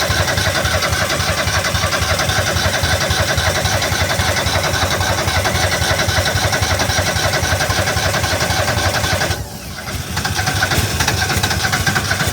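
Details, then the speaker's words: Argo that wouldn't start after sitting all winter: it starts and runs rough and uneven, briefly sagging near the end. It stalls because a bad but not blown fuse cuts power to the fuel solenoid; the fix was replacing the fuse. "That's pretty good. Better than uh what it was doing. At least it ran a little bit."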